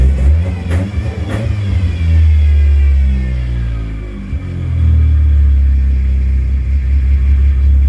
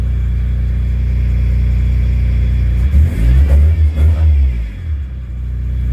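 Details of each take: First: Car that had stalled twice on a drive, just after a bad fuel pump was replaced, started in neutral: revs rise, sag and hunt unevenly, seeming about to die, before settling into a steadier idle. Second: Car after replacing a bad fuel pump: steady idle, then several quick throttle blips that rise crisply and settle without stumbling; previously it wanted to die on throttle, now it revs right up.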